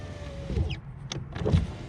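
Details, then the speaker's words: 2007 Honda Accord front driver's door power window after replacing the regulator whose cable snapped: a smooth, steady motor whir as the glass rolls up, ending in a soft stop with no grinding or clicking; working as new. "Window rolls up."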